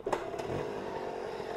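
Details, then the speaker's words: 1975 Honda MR50 Elsinore 50cc two-stroke after new piston rings and crank seals, back at the garage after a ride: kick start, catches easily and settles into a steady even buzzing idle, running healthy. "watch how nice it starts back though let me do that real quick"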